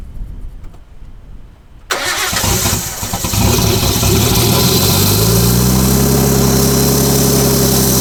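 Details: Restored R32 Skyline starting after being revived, catalytic converter not yet fitted: starter cranks a second, then settles into a steady, even idle with no knocks or misses; a rattling noise is noted, believed not from inside the engine; normal.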